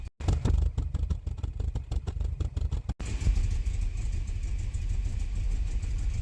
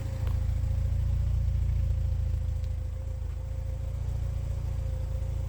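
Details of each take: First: Porsche 944 first running after over a year, vacuum lines replaced: uneven lumpy beat with ragged pulses, then steadier; smelled rich. Leftover fuel from earlier start attempts suspected; smoothed out after a few minutes. Rough running after start. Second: Porsche 944 project after over a year off the road, vacuum lines replaced, run a few minutes: steady even low rumble with regular beat, no misses; smooth healthy idle once earlier rich running cleared.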